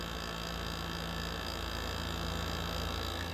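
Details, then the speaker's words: GE ASW05LKS1 R22 window air conditioner after head pressure built up, condenser around 160-165 degrees: constant heavy low hum with strained gritty drone from a labouring rotary compressor running hot; owner suspects low refrigerant or heat damage. "This thing is absolutely unhappy. Holy shit. This thing is really throwing out some serious heat. This thing is unhappy whatsoever. Listen to that compressor. That's probably the unhappiest rotary I've ever heard."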